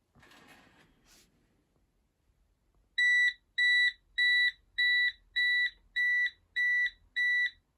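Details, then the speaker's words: Bosch WFP3300 washing machine on first test wash after motor control board smoked, back off: after sitting 5 minutes, eight evenly spaced high beeps; fault alarm, owner suspects fault 03 is the drain pump. "So it sat there for 5 minutes, and almost as soon as I walked away, it started beeping at me."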